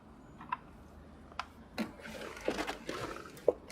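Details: Car door hinges and rollers rubbed with a dry bar of soap after WD-40-type products helped only temporarily; the door now swings with soft clicks and a light latch thump, with no creak or squeal.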